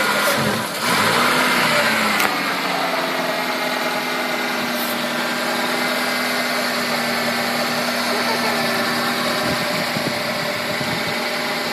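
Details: Mazda 323 petrol engine idles unevenly with an irregular stumble, misfiring because it is sucking in unmetered air.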